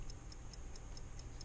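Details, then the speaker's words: 1955 Ford original electrically wound dashboard clock, opened up and running again after WD-40: crisp even ticks about four or five per second as the spring-driven fly gear turns; working normally. "there you go you can probably hear it ticking ticking away my little fly gear turning around with the spring on"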